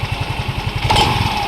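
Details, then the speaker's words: Scooter (M3) with abnormal noise, valves already checked: idle pulsing about eleven times a second, then a brief rise with a rattly whine from the CVT; belt was installed reversed but fine, mechanic blames worn roller weights, slider pieces to be replaced. "sa may bola sigurado kasi ito yung maingay eh."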